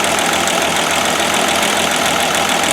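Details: 1969 Land Rover Series 2a six-cylinder project at idle after misfire work; owner had found the rear cylinders not firing on a thermal camera; now a steady, even idle, the back of the engine firing merrily on all cylinders, a good sign.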